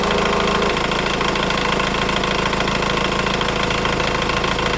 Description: Timing chain noise when idling - this noise persists in excess of 3 minutes after starting, even when revving the engine.